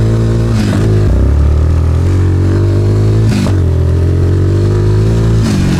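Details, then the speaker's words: Suzuki Ozark LTF-250 250cc ATV, previously bogging under load, after spark arrestor, plug, oil change, fuel tank and pickup clean, carb reinstall and tuning, cold day: strong, clean single-cylinder pull climbing smoothly through the revs with no stumble; normal acceleration. "Oh, she's got that get up AND GO AGAIN, BABY. WOO. OH, she sounds good."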